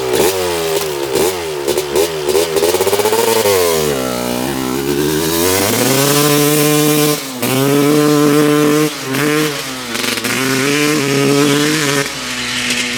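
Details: 1995 Honda CR250 two-stroke on its test ride before any fixes, which the seller says is boggy. Revs stumble and flatten under throttle with a bad mid and upper range bog; the rider thinks it sounds lean or like a fouled plug.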